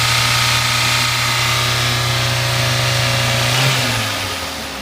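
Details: Toyota 1SZ-FE imported engine, 32,000 km, started knocking 1,200 km after install (bearings, valve clearances fine, no metal in sump): steady knock about four per second at idle, rising on a blip; piston slap from seized piston pin.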